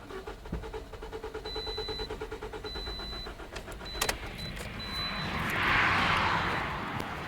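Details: 2011 Toyota Corolla 1.8L, crank-no-start with starting fluid sprayed into air inlet tube: even cranking about three beats a second that never catches, then a hiss; starting fluid didn't help, so fuel delivery probably not the issue.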